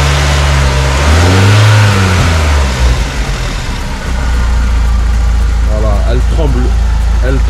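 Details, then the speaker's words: BMW Z3 E36 1.9 M44 140 hp inline-four, after replacing fuel pressure regulator, ignition coil, plugs and fuel pump: loud revving with uneven lumpy beat, wavering pitch, shaking; heavy misfire, won't exceed 4000 rpm; cause unknown, intake leak smoke test planned. "excessivement grosse râpée grosse ratée d'allumage donc elle dépasse pas les 4000 tours elle rupture donc c'est ça ne va pas ça ne va vraiment pas"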